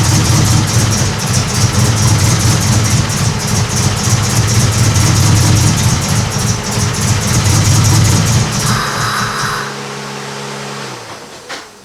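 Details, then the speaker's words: Honda Civic EK hatch project; spark is present but questionable: it roars held at high revs with a rough edge, then sags and dies within seconds once the throttle comes off. It only runs at wide-open throttle. "this thing will only run if it's a wide-open throttle it seems to have fire feels questionable"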